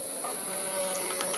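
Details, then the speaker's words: Yamaha Mio M3 scooter, final drive gearbox turned by hand: a soft, even whir with light hiss, now smooth where it was rough before. "sudah halus kita pasang pulih juga udah halus ya teman-teman udah mantap ya"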